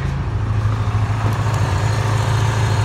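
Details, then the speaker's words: Ford Ranger with antifreeze leaking at a loose radiator hose and bad cap, power steering pump being replaced: low steady hum, even rhythm, no knocks or misses; smooth normal idle. "It's idling good though."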